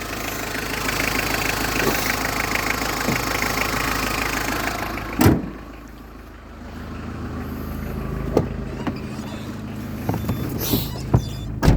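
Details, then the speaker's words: Running engine with a steady droning, whistle-like hum from the V-belt area when revved, from a failed bearing in the belt tensioner pulley near the alternator; noise disappeared completely after bearing replacement. "O gelen ses bu romanlardan geliyor yani be kayışının bağlandığı şarj dinamosunun de pompasını bağlandığı yerden geliyor arkadaşlar rulmanlardan yani gergi bilyası dediğimiz"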